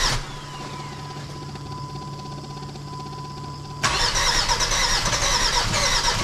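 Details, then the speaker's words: Jeep WJ Grand Cherokee 2.7 CRD diesel, first start after fitting new injectors: cranks and catches, then loud uneven lumpy run with a weird clunk and heavy black smoke; sounds like a cylinder missing, owner suspects diesel leak. "runs. I'm hearing a weird clunk noise, but it starts. There's smoke. There's lots of smoke."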